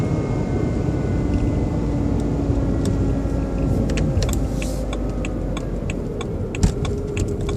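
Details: BMW 120i E87 running: faint constant motor-like whine with light ticking, seemingly from behind the airbox; oil change did not cure it, cause unknown.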